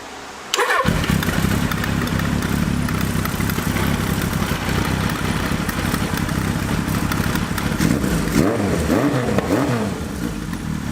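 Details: Suzuki GS1100E after upgrade to Mikuni RS34 carburetors with new boots, started with no choke: fires right up, settles into a steady, even four-cylinder idle, then takes a couple of clean blips; starts and runs well.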